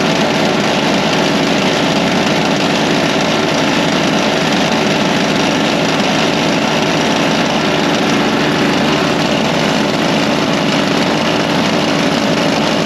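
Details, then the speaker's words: Toro Power Lite single-cylinder snowblower, about 25 years old and little used for years, started with the electric starter in a heated garage after the dry-rotted primer bulb was replaced; it holds a steady, even idle with no misses or surging and runs healthy. "well I'd say uh she's back in service that was easy just had to get the part well that was easy just had to get the Bri part so my snow blowers back in service"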